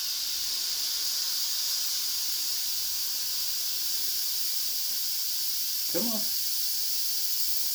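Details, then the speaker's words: Tire being inflated on a wire-brushed wheel: constant loud high hiss of air escaping all the way around the rim, bead not seated; bead area may need better cleaning. "you can hear it leaking all the way around the bead which I cleaned it with wire brush but it might need some better cleaning"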